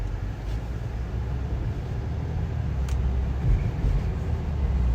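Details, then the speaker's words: 2017 BMW X3 cabin while driving in cold snowy weather, after stuffing a glove behind a flap to stop a trim squeak; steady low road rumble rising with speed, no squeaks or creaks. Normal quiet cabin. "i don't hear any more squeaking do you i hear no more that's how you fix bmw you stuff a glove inside of anything"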